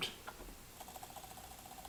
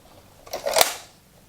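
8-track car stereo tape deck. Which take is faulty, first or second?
first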